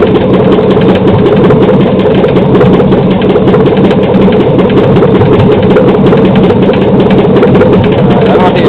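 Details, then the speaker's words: 2007 Silverado 5.3L LH6 AFM/DOD aluminum-block V8 on an engine stand with a Trailblazer harness, idling around 644 rpm: light, quick, slightly irregular tick over an even idle. Ticking, owner suspects a lifter and hopes it is not rod knock. "turn it off definitely got some kind of tick I would say lifter tick probably pretty sure let me know what you guys think"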